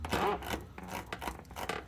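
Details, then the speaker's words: 1984 Toyota Tercel 4WD: rubbing squeaks and scrapes as the driveshaft is worked by hand from the worn carrier bearing bushing; owner hopes it is this rather than the transmission output shaft. "you can hear that carrier bearing. The bushing alone has some squeaking to it, which is why I'm hopeful it's this and not the output shaft of the transmission."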